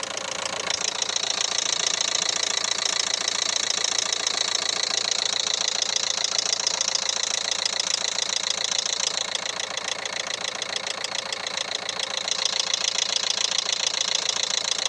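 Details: 2011 Renault Megane 3 K9K 834 1.5 dCi diesel at idle: sharp regular metallic knock, three to four a second; timing belt jumped one tooth, belt (timing) repair done.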